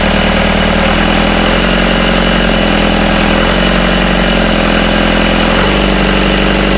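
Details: Rebuilt Isuzu 4BD1T diesel in a Hitachi EX120-2 excavator, first start: steady fast idle around 1250 rpm with an even, firm beat. The earlier rattle from loose rear bolts is gone, and it sounds healthy.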